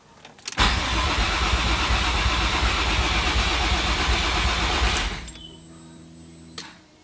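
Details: Starter cranks the engine evenly for about four seconds but it never catches or fires; crank-no-start, cause unknown.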